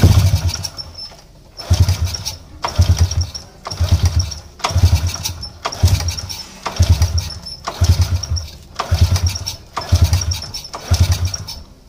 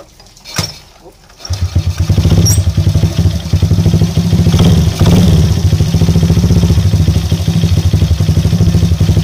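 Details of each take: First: Motorcycle that is hard to start and sputters when running fires in rough one-second bursts, catching and fading; very weak spark shown, too small to run the engine, pointing to a failing spark plug. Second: Motorcycle that was hard to start and ran rough (semput), after fitting a new spark plug, the old plug being the cause: starts after a brief attempt and settles into a steady, even idle; problem solved.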